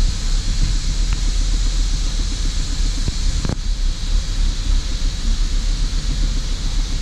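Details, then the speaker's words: 2005 Holden VZ Commodore Crewman 3.6L, engine light on, car visibly vibrating: lumpy, uneven idle with a steady rush, rough only at idle; vacuum leak suspected, smoke test used to find the likely culprit. "today we have got a holden crewman in that is running very rough at idle it's got an engine light on"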